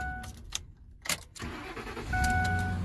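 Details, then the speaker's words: 2007 Ford F-350 Super Duty 5.4L V8 after disconnecting the power wire shorting to ground that caused no-crank/no-start: a few clicks and rattles, then catches and settles into steady low idle; normal start. "it should start right up now starts right up now"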